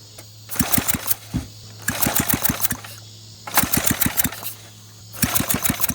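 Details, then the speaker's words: Flathead Briggs engine on a minibike, recoil pull-starting with throttle and choke after fuel bowl primed: bursts of pull-cord rattle with a few sharp pops each try; fires briefly but won't keep running, intermittent firing. "thank you sounds like a firing right there as far as it goes"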